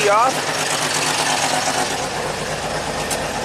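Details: 1985 Jeep CJ-7 Renegade with Holley Sniper EFI: after a brief dip the idle continues steadily with the key off; alternator current back-feeding the ignition causes the run-on.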